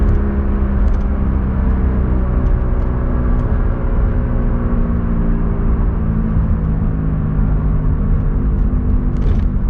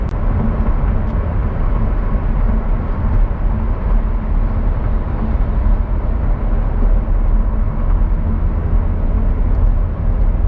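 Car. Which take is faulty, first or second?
first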